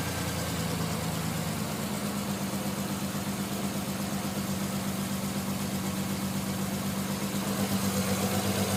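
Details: Non-turbo Nissan R33 at cold idle after sitting about 2 days and hard cranking: idle pulses unevenly about four beats a second, stumbling lumpy misfire until about 10 minutes warm-up; coilpacks, injectors, gasket, fuel supply checked fine; cause unknown.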